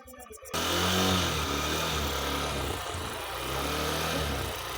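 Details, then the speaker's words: Honda Shine 125 BS6 with a cold hard-start problem, started using a manual choke (hand blocking the air intake) and a little throttle: engine settles into a steady idle, pitch wavering slightly as throttle is feathered; runs cleanly after cold start. "देखिए होना शुरू हो गई accelerator लीजिए थोड़ा सा हां ये मैनुअल चौक का तरीका है"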